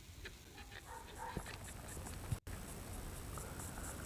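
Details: E-TWOW S2 electric scooter rear suspension: short, high, whimper-like squeaks as it moves, from dry swingarm bushings; fixed by fitting Teflon washers between the swingarm parts, squeak gone.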